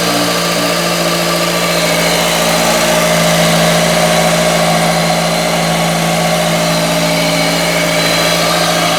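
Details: Ford Focus 2.0 SVT DOHC after replacing the timing belt, tensioner and a worn idler pulley with bad bearings, coolant refilled: a smooth, even idle with a steady low hum and no knocks or ticks. Normal idle.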